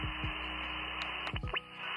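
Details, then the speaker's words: Icom 705 connected by Powerpoles to Xiegu DH100 power station: with the 12 V output on, steady buzzing hum and harsh hiss across the band with clicks; heavy interference from the power station. "and oh my I haven't even turned the solar station on yet watch this yeah that's uh some real heavy interference"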